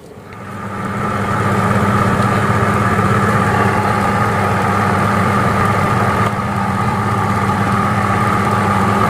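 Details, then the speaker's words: LG Fuzzy Logic WF-L800TC top-load washer, spin-dry cycle after a tub replacement (owner had reported a loud, harsh pulsator that wouldn't turn): smooth, steady motor hum with an even whine and no knocking or wobble; spin is healthy. "Proses pengeringan sedang berjalan ya. Oke, prosesnya sedang berjalan, kita lihat."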